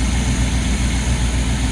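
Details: Boat engine on a Luhrs 28 idling smooth, deep and constant while warming up with the air filter off, no stumbling or ticking, just after a professionally rebuilt carburetor was fitted with no fuel spilling; normal idle.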